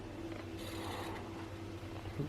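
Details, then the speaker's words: PlayStation 1 bought broken, rattling inside with a lid that won't close, powered on for a test: a quiet, steady whir with a faint scrape as the disc spins up and reads the game normally. "got a green light that's a good sign I hear it spinning hey that's a good"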